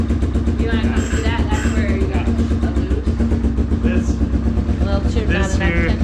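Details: Old Yamaha Big Bear 350 ATV after tune-up and recoil respool, started without the battery: even, steady low thumping from the single cylinder with no misses or odd knocks; runs smoothly.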